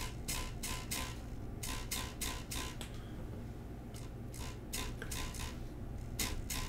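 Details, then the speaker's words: Prusa i3 MK3 3D printer: irregular bursts of tinny metallic clatter over a quiet hum, something loose vibrating inside the power supply; triggered when the board is touched, cause suspected not confirmed. "That is something in the power supply that is rattling badly. That is going to drive me nuts."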